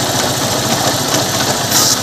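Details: Honda Unicorn motorcycle idling with fast busy rattling clatter steady with engine speed; source unconfirmed, suggested checks are broken bearing behind clutch cover or engine bearing.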